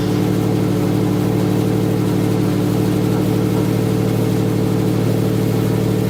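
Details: Freshly rebuilt EJ257 flat-four at its first start after new head gaskets and cylinder heads, installed in the car: steady idle with even low rumble; the builder says something is not right and sounded weird.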